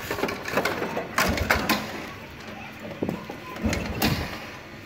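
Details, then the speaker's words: Motorcycle kick-started with the ignition switch off: dull kick-lever thumps and mechanical clatter, no firing; the engine will not start until the key is turned on. "đạp không được các bạn nha. Bây giờ phải mở thôi. Mở chìa khóa thôi."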